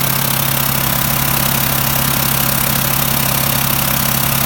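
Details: VW T4 diesel idling steadily with a sharp puffing tick about twice a second; owner suspects an exhaust manifold leak, unconfirmed.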